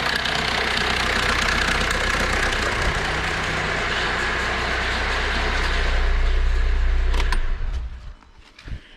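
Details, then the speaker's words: 2005 Kia Rio CRDi diesel idling with a busy metallic clatter over a low rumble; mechanic suspects a badly stretched timing chain and replaces chain and guides. "el cliente me lo ha traído porque el motor suena raro tiene un ruido extraño"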